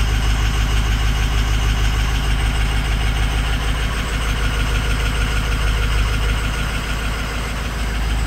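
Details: 6.0 Powerstroke diesel at idle with a bad #6 injector: a deep, slightly uneven thump about three times a second, one cylinder not firing cleanly, a rough idle misfire.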